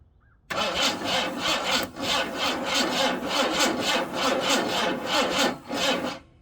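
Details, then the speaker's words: Engine with two-stroke oil squirted into the cylinders and plugs in loosely turns over in a slow, lazy chuffing rhythm without catching; slow cranking, owner suspects a worn-out starter motor. "i don't think that starter is very good"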